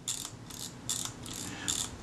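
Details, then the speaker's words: 85-year-old Kodak Retina II type 122 with its shortened original advance return spring held by a screw: three crisp ratcheting strokes with no catching or slipping; the advance works smoothly, though the lever return is likely stiffer than original. "it means that the advance is probably stiffer the return on the advanced lever is probably stiffer than it would have been originally"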